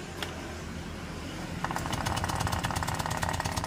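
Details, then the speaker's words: Honda Vario 125/150 scooter losing radiator coolant: rough idle with a sharp, regular knocking tick about three times a second; possibly a fan problem, to be checked. "Nah, ini suara yang tadi saya kasih tahu ya, Teman-teman. Terdengar suara kasar di bagian sebelah sini."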